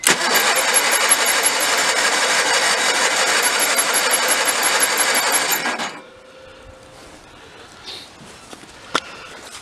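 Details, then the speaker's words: 1985 Case Ingersoll 448 Hydrive garden tractor, Onan B48M/B38M twin, no-start after fuel line replacement: on starting fluid sprayed into carburetor it fires and runs fast and even about six seconds, then dies; fuel pump suspected of not supplying fuel. "So it is absolutely running on only what I'm giving it."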